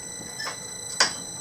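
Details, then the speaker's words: Mechanical printmaking press in a home garage studio, run at its usual unhurried speed; a slight whine under two crisp, even clinks about half a second apart as the platen cycles, running normally. "Kind of has a whine sound to it, but listen to that clink sound."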